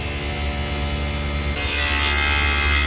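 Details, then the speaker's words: Daikin VRV Rebel rooftop unit in automatic cooling mode, failing inverter compressor, amps fluctuating: loud steady hum turning rougher and harsher halfway through; compressor sounds strained, cause not confirmed. "hope it does it again that compressor made some horrendous sounds a second ago"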